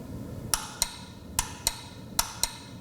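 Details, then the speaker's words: Trion/Herrmidifier fan-powered humidifier, humidistat cycled: three pairs of sharp clicks from relay and solenoid valve coil, power present but no water flow, so valve is faulty and stuck closed internally. "that all right so that clicking noise means that we are getting power to two things this little relay here and the solar valve coil here so with that happening we should have had water flying out of this top of this thing and nothing happened which means this valve is faulty and it's stuck in a closed position internal"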